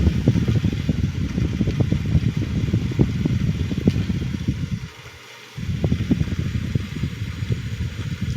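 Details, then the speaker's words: Blower fan salvaged from a Hunter heater, after rewiring, cleaning and servicing: spins up to steady low whir with soft airy flutter, no scraping or squeal; runs much better than before. "that's much better compared to before [Music] blows better and it sounds better"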